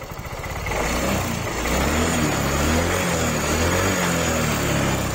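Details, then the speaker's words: Yamaha Mio 125 scooter idling after a valve clearance adjustment for a sewing-machine valve ticking complaint, with the carb rechecked; soft steady putter, the ticking is gone and it runs smooth again; normal idle. "Mudah-mudahan halus. Iya. Nah, sudah kembali halus."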